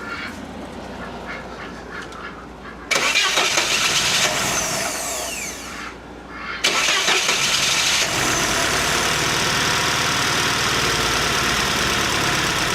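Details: Car that wouldn't start, after replacing a fuse and the distributor Hall sensor: cranks and fires, stumbles off briefly, then restarts and holds a smooth, steady run without misses or odd noises.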